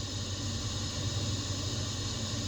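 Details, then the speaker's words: 2003 Toyota Tundra 4.7L 4x4 with ABS light on, engine idling, microphone near the brake booster: a steady airy hiss of vacuum leaking through a cracked brake booster diaphragm. "and if that diaphragm was not cracked you wouldn't hear that that means you would have a perfectly working booster but this one is obviously got a crack in the diaphragm"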